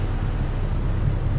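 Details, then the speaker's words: 2005 Chevy Colorado with a junkyard replacement engine, first start after the swap: deep, even, low rumble with a steady beat and no stumble or skip, idling smoothly on all cylinders. Normal idle. "man look at that sounds awesome right there"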